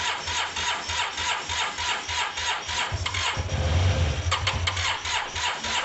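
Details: Cheap Yamaha TMAX cranked with starting fluid sprayed into intakes: catches and fires briefly, then fades back to cranking; fuel starvation, owner suspects fuel delivery or caked-up carbs needing a clean.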